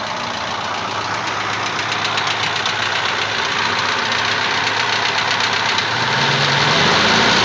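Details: ZMZ-406 engine at idle: sharp regular ticking knock about four per second from the top end; cause unknown, hydraulic lifters or something else suspected; engine to be opened up.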